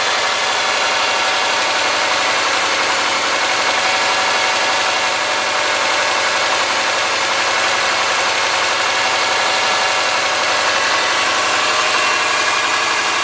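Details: '03 Subaru Forester, 178k miles, ~150 miles after head repair for a dropped valve guide, cold idle: quick light ticking from driver side, excessive exhaust valve clearance on front cylinder (.029 vs about .010); adjusting clearance stopped the noise.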